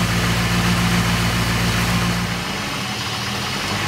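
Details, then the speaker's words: Porsche 928 V8 with CIS injection, warm idle during re-tune to cure a 1500-1800 rpm high idle: starts steady, then the pitch and rhythm sag and waver as the idle begins to hunt; the mixture is suspected too lean. "well you can hear the engine sort of starting to hunt a little bit now I think that's because it's too weak so I'm going to reach it up a little bit"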